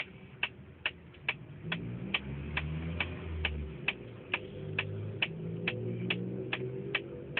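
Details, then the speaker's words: 1999 Mitsubishi Galant VR with ignition on and engine off; sharp light ticks a little over two per second over a faint hum from inside the dash, source unknown, owner suspects the clock, audio or air conditioning. "there's a sticking sound inside my dash whenever i start my car see i haven't even started it just put it on the battery no cds inside"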